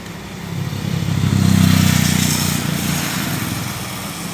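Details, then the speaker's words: 2014 Ford Ranger 4x4 2.2 diesel, manual; under throttle revs rise then flatten and sag back instead of climbing freely; owner reports no power. Low power, revs limited, cause not yet known. "So yung hindi indang sakit nito is low power. Makinig kayo sa engine."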